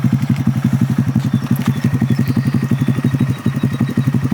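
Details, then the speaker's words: Honda Grom being revived after a side crash, front wheel and fairings to replace; quick, even thump of the small single about three beats a second, steady with no knock; sounds good, healthy normal idle. "Let me crank it up for y'all to hear it. This sounds good. It's a fine ass bike."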